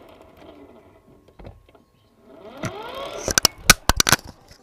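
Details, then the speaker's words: Used motorcycle check: rear wheel spun, brief faint hum rising and fading, then a few sharp clicks; only slight hum means primary and secondary gears are still good, unlike a prolonged crying drone from worn gears. "tapi jika hanya dengung sedikit saja maka kondisi gigi primer dan sekundernya masih dalam keadaan bagus dan ini adalah contoh suara yang gigi primernya masih bagus"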